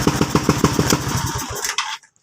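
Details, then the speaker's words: Suzuki Skydrive scooter after the hole in the intake manifold rubber was sealed with glue: the single-cylinder kick-starts without choke and pops along at an even, slightly high idle before shutting off; the misfire is gone. "So yun ah hindi na siya palyado medyo mataas ng Menor patay na muna natin"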